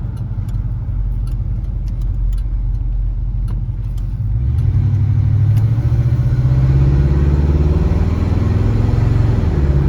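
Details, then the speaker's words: 1968 Ford LTD Brougham 390-2V V8 with Flowmaster mufflers on a slow drive after a Motorcraft/Autolite 2100 carburetor rebuild, choke fully open: a deep, even burble that revs smoothly with no misses or knocks, a big improvement. "But sounds great. Idles smoothly. Hear that idle? Sounds wonderful. Running really good. Way better."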